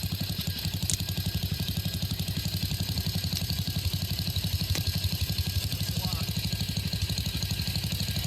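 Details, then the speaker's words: Circa-1966 Simplicity Sovereign garden tractor, Briggs single-cylinder points engine, running on its existing coil: slow, even firing pulses about four per second with a steady low thump. Normal low idle, though a head gasket leak is suspected. "That's a nice low idle."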